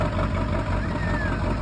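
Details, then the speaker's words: Ford 7.3 Power Stroke diesel truck with bad transmission, cold start with glow plugs nearly shot: heavy, lumpy low clatter settling into a rough idle, heavy smoke; rough cold-start idle. "Okay. This one's already hitting. I know the glow plugs are pretty much shot in it."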